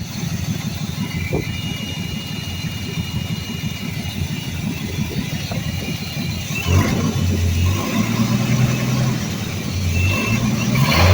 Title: 1982 Ford F150 300 Auto. There's a horrific vacuum leak around that quadrajet somewhere...